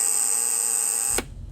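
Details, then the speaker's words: DeWalt DC500 wet/dry vac, motor driver board supplying 12 volts: steady high-pitched buzz from the 10-amp relay, motor not spinning; relay faulty, possibly undersized. "No, but I hear a clue. It's definitely coming from that relay."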